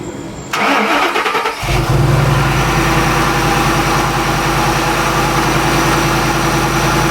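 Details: Shelby Mustang GT500 (13-14) after intercooler pump and burnt harness replacement and supercharger oil change fixed a no-boost issue; brief crank, clean catch, strong even idle with no knocks or ticks, runs right.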